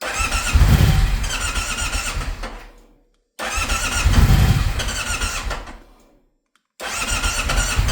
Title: Stelvio no start 13/04/2026